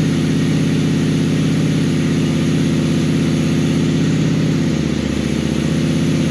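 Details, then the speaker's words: 2001 Honda Shadow VLX 600 V-twin, just restarted after carb clean for gas pouring from the carburetor: steady, even low thumping idle, no stumbles or misses; runs healthy. "that's when it that's when all the headaches become worth it right there you start it up and it sounds good"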